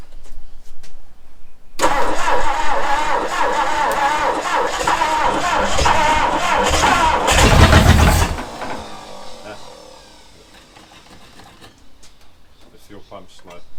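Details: 1966 Ford Galaxie 390 big-block V8, first start after 35 years in storage, plugs newly fitted, no gearbox: catches and runs with uneven, stumbling beat for several seconds, then drops away; running rough.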